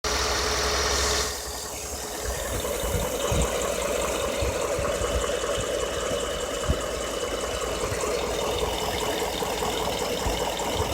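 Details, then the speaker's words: 2014 Ford F-150 XLT 5.0 Coyote V8, 6,800 miles, idling: loose irregular valve ticking with occasional sharper knocks; cause suspected, not confirmed; valve tick and engine knock at idle. "Valve tick and Cracking engine. Five-0 Coyote motor."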